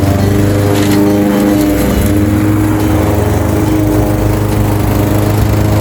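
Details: Craftsman 21-inch mower, 5.5 hp Honda GCV160 single-cylinder, found with a dry tank, cutting grass at level two: a steady, even drone holding revs, no misfires or surging. Healthy under load; technically nothing was wrong.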